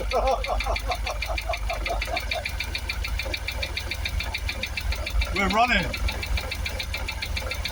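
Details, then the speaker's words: Jaguar XKR first start after replacing both fuel pumps for a no-start: rough, uneven idle with irregular knocking about three times a second; owner hears a noise in the supercharger and suspects it is running on seven or six cylinders. "it's got that noise in the supercharger definitely not running on eight cylinders that we are running"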